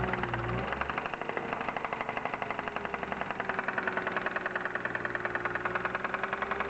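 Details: BMW E36 323i, M52B25 engine, 140,000 km: light, fairly quick ticking knock over a smooth, steady idle; pulling each ignition coil plug in turn (cylinders 1–6) leaves the knock unchanged, so owner doubts a rod bearing failure.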